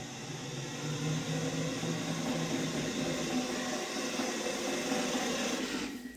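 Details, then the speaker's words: RC toy Blue Mini Cooper S driving: electric motor whir with an uneven rattly knock; blue tack on front suspension deadens it slightly; steering geometry ruled out, owner suspects bent rear axle, not confirmed. "I've put blue tack on the front suspension to stop it bouncing up and down. That deadens the noise a bit."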